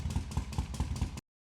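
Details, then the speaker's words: Idling engine with a steady low knock four or five times a second plus a light tick, heard near the tensioner area under a thick cover; source unclear, owner suspected the tensioner: abnormal engine knocking. "There seems to be a strange noise coming from it, but even when I point the TD2 at it, I can't really tell what it is,"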